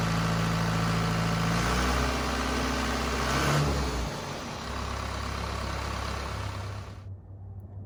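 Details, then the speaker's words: Cummins 4BT diesel in a Power Wagon on 37s, first start since 2015, steady low chug with even beat, no knocks or misses, runs smoothly until shut off; normal diesel running. "i never doubted that it would start and run perfectly but it was really good to hear it"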